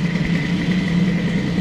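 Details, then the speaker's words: Airsal T6 65 two-stroke moped with Stradivario sample, just started and warming: buzzy idle with thin metallic ring over the putter; silencer broken inside at the perforated tube, owner plans to reweld it. "Bon, ce bruit de pot est vraiment dégueulasse. C'est une véritable horreur."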